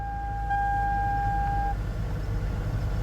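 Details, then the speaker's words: 2002 Toyota Camry that burns oil and has blown-out suspension: quiet, low, even idle after a brief chime, no knocks or misses, runs like a sewing machine. "everything works turn off the fan this thing runs like a sewing machine"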